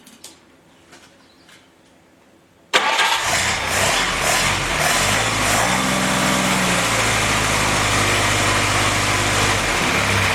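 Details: Freshly rebuilt F-head engine in a CJ5 snowblower Jeep, original cam, pre-lubed and just filled with coolant: quiet cranking, quick catch, then strong even run held at raised revs for cam and ring break-in, no knocks or misses; normal start and break-in run.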